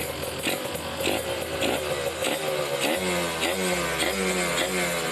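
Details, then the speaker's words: Kawasaki Ninja RR two-stroke with racing exhaust, no air filter, after carburettor setting: crisp rasp climbing cleanly through blips to 3000, 4000, 5000 rpm with no stumble or bogging; normal revving. "ada suara dari sini karena enggak pakai filter ya kita lihat rpm nya kita tes ada berbuat apa enggak RPM 3000 4000 5000"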